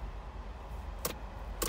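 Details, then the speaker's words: 1983 Ferrari 308 under rebuild, battery low, testing electrics before first start: two sharp dry clicks about half a second apart from something under the dash; quiet background, source not yet traced. "I've got something clicking underneath the dash down here somewhere I'm sure what that is"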